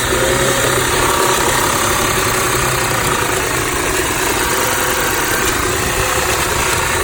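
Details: 2006 Audi A6 idling rough, noticed two days ago along with power loss at low speeds; owner asks whether the PCV valve is to blame. Uneven, loping idle with slight hunting and no clear knock. Cause unconfirmed.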